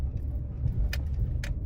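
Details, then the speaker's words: 2016 Jeep Renegade 1.8 automatic, passenger-side front noise after hitting a pothole, road test on rough street after engine mount bolts refitted: only steady road rumble, no clunks; noise near passenger strut tower gone. "então aqui ó todo o barulho que vinha naquela região próximo da coluna do amortecedor lado do passageiro parou agora não tem mais barulho ó carro está perfeito tá"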